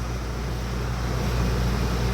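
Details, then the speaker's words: Old camper trailer rooftop air conditioner after refrigerant recharge, outside about 75°F: steady low hum and even fan rush, no rattles or cycling. Now blowing cold air; normal running. "I actually hear the refrigerant running through the coil right now. probably doesn't grab it on the mic here, but it's nice and cold."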